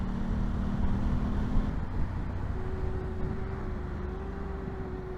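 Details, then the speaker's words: 2024 Aprilia Tuono 660 Factory Edition, 3700 miles, rebuilt after crash, first ride: steady high squeal over engine and road noise while slowing; brakes suspected glazed from being ridden hard when dropped, planned fix sanding pads or replacing. "so they're glazed over so I'll need to take those brakes off and uh sand them slightly and that should fix the issue if not then I'll replace the brakes"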